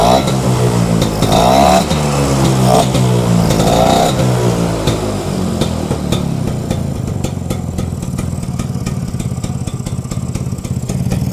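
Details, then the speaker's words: Vespa two-stroke scooter that was cutting out on the road, after cleaning the blocked carburetor jet and opening the fuel tap: steady, even idle after a few throttle blips, now stable, normal. "Oke, Teman-teman. Mantap. Ini udah stabil ya."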